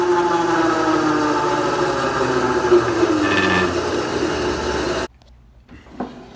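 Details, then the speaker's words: Bandsaw running with a loud rapid rattling whir, three to four beats a second, steady; owner suspects the worn drive belt is slipping on the drive shaft and plans to replace it. "so that sound is not normal what I think is going on is that this belt is too worn down this belt in here is to one down and it's slipping on this drive shaft"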